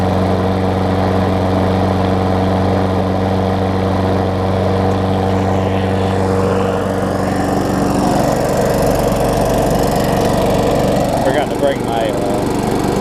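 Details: Craftsman self-propelled mower with a Tecumseh engine, after tightening the loose, backwards blade, a service and a new air filter. A steady single-cylinder drone holds even for several seconds with no misfires or rattles, running healthy.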